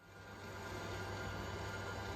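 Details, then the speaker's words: Pierburg CWA400 electric intercooler coolant pump newly installed on a 2019 Dodge Charger Hellcat, PWM-controlled and vacuum-filled: a steady, even hum of constant pitch with no surging or rattling; the pump runs normally with no leaks. "Listen to that sound, guys. That's the sound of success. You can hear that pump just running."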